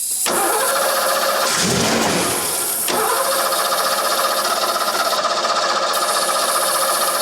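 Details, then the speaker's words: 1990 Ford Mustang GT 5.0 V8 barn find, sat about 30 years, cranking with starting spray in the intake; timing, spark and fuel confirmed: brief catch and flare then straight back to cranking; starts then dies, compression to be checked. "You can probably hear on the video it catches and then immediately dies, which was why we thought that it was the ignition switch."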